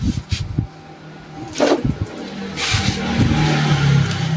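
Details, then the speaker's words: Yamaha Mio Soulty scooter with a 59mm big-bore block and a reportedly overflowing carburetor stumbles and catches unevenly at about four low beats a second, never settling to a smooth idle; hard to start and runs rough despite good compression and repeated carburetor teardowns. "Bale ang problema niya yan nag-over flow daw yung karburador tapos nung tine-testing natin Mahirap siyang paandarin"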